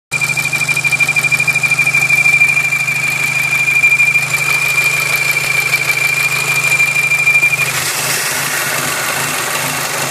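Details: VW Golf 5 GTI idling: steady high-pitched whistle over a fast pulsing rumble, both cutting out near the end; unidentified strange engine noise.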